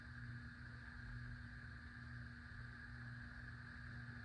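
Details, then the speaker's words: 52-inch white Hunter Pro's Best ceiling fan on low speed: quiet fan with a constant fixed-pitch low buzz under the whoosh; owner blames a bad capacitor, which also leaves medium and high the same, and plans to replace it. Motor hum. "Here's low. Yes, this fan does make buzzy noises because it's got a bad capacitor."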